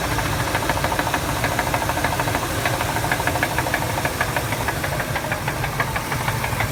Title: Ford 5.4 liter triton motor . Rod knock !! Only 138000 miles